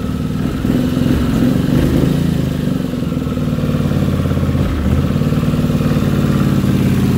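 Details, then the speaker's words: 1979 Honda CX500 Custom twin, unrun two years, warmed up to normal temperature during carb adjustment (mixture screws at 3.5 turns): low, lumpy idle with uneven firing pulses and wavering, feels worse. Rough idle, carburetion suspected. "All right, so that's 3.5 like it was. Feels like it's worse."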